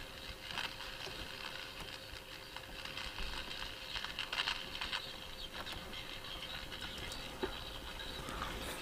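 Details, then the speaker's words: Donated Eddystone EC10 receiver on its first power-up: faint harsh crackling hiss with pops and no clean audio, badly distorted output; a dodgy transistor is suspected and the output transistors are being probed, cause not confirmed. "right it's very very horrible sounding just turn that off in case that's beating with it you can hear it can't you oh that's distorted it sounds terrible sounds appalling"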